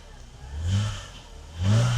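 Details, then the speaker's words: Mercedes W126 300SEL, low mileage, after fuel distributor repair (clogged inlet filter and blocked pressure regulator valve): quiet idle with two quick rev blips climbing and settling smoothly, no hesitation or rattle; healthy engine. "从引擎的的宁静度属于杂音也可以听得出来，非常好。引擎运转非常顺畅，"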